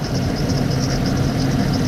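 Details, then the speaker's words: 1995 Jeep Cherokee XJ, 30 years old, rebuilt engine, idling during injector unplug test: lumpy uneven idle skipping beat; unplugging number 6 injector makes no change, confirming cylinder 6 misfire. "See there, no change at all. Back on. Off. And back on. So without a doubt, number 6 is definitely missing."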